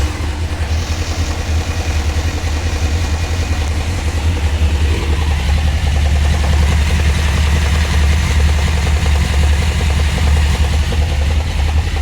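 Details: Honda CBR600 F3 at hot idle: steady ticking knock at 2–3 per second, loudest by stethoscope at the water pump (pump replaced, no change), same with clutch pulled, gone under load, louder after carb rebuild. Owner suspects oil pump or its drive.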